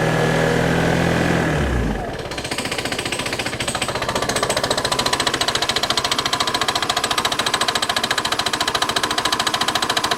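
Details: Piaggio Xevo 125cc scooter engine idling with a harsh, steady metallic knock through every revolution.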